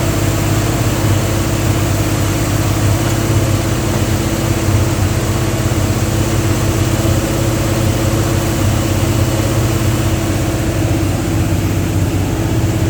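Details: Dodge 360 Mopar LA V8 truck with Holley double-pumper carb, idle raised: heavy, uneven, stumbling lope, won't idle below about 1,500 rpm; owner suspects serious vacuum leak, possibly intake or carburetor gasket, not confirmed.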